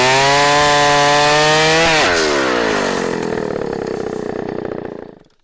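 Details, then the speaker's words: 44-year-old vintage Husqvarna L65 chainsaw with points ignition, brought out of retirement, cutting a big oak log; screams at full throttle, then its pitch sags smoothly as it bites and keeps pulling strong. Lower rpm than modern saws but high torque. "as i mentioned this uh saw doesn't the rpms on this uh are not as fast as the current models of saws but it's got a lot of torque"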